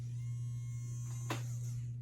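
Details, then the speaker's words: Old rear smoke-unit fan motor removed from MTH Propane Turbine locomotive (20-2261-1, delivered 2001), run on the bench: loud steady low buzz with a rough edge, much louder than a new one, resonates inside the smoke chamber; worn motor, replaced. "it's a lot louder and then you put it inside that chamber and it resonates"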